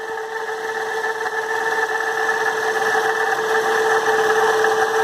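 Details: 2007 Toyota Yaris hatchback running with a steady mid-pitched whine from a water pump near failure, also leaking coolant; pump was replaced.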